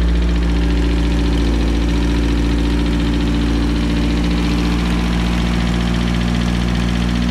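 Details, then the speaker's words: Turbo 1.6 Mazda Miata, first start after maintenance and repairs, idling around 1,500 rpm before the temp sensor was refitted: steady, even idle with a faint light tick on top; just a little tick, nothing serious. "Good. It's not that. It's just a little tick."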